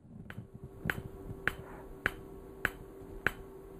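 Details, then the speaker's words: PEMF 100 electromagnetic pulser coil with the intensity dial turned up high: sharp, evenly spaced clicks, just under two a second, that settle down as the power rises. This is normal operation. "So let's turn it up some more. And you can hear how that clicking settles down."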